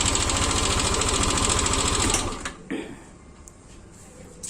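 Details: Yamaha Lexi scooter idling, noise seeming to come from behind the radiator but actually from the front engine area: rough regular ticking of three to four beats a second from a worn rocker arm roller.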